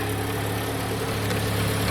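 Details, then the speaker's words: Jeep started after new battery, with a bad fuse connection in the fuse block: steady low idle with rough puffing rasp underneath; exhaust leak, to be fixed with a tin can and pipe clamp. "there is a fuse issue it is a uh a bad connection with a fuse that I have to fix and there is a bit of an exhaust issue an easy tin can and uh pipe clamp fix which I will do right [Music] now"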